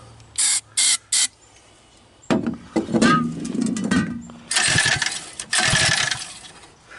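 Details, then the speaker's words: Homemade ATV with swapped 79cc 4-stroke engine, after starting fluid: three quick rope pulls with dry whirring spin, engine turns over but never catches; spark and other basics not yet checked. "Sounds like a whole lot of nutting. Well, now it's the time to start going through the usual."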